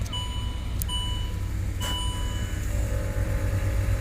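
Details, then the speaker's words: 2008 Range Rover Sport after its module pins were reflowed to fix lost-communication codes and dead air ride. A steady low drone under the idle with dash chimes as the rear rises. Air suspension compressor operating normally. "sounds like the rear is coming up"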